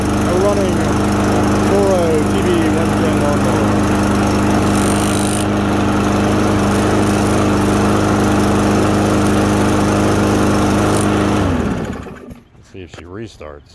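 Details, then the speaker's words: Troy-Bilt TB110 21-inch 140cc push mower after cleaning its carburetor, which had a clogged stem: it catches and settles into a steady, even run at constant speed, then cuts off cleanly; sounds healthy. "and there you have it a running troy built tv 110 mower this is in good shape just need the carburetor clean she should work pretty well until the next clog"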